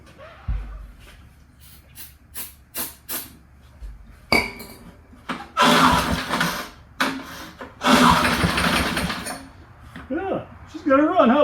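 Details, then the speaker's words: Early-1970s BF Goodrich push mower, barn find, engine was seized and freed, carb gaskets rotted: taps and clunks, then catches in short rough one-to-two-second bursts and dies; runs only on starting fluid. "I'm sure the spark plug's going to fall out a couple times here but all right get me some uh laughing gas to spray in there"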